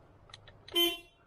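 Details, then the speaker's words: Toyota Corolla horn tested right after fitting an upgraded steering wheel and reconnecting power: one short toot about a fifth of a second, clear and steady in pitch; horn works normally, though an airbag light later appears. "Okay, horn is working."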